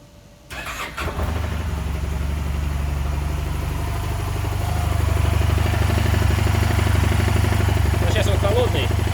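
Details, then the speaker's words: Honda Silver Wing 600 scooter, auction sheet noted variator noise: starts and settles into a heavy, uneven rumble about three beats a second under idle, clearly abnormal; source not yet found, variator to be disassembled first. "я пошел встречать и услышал какой-то грохот явно не ненормальный"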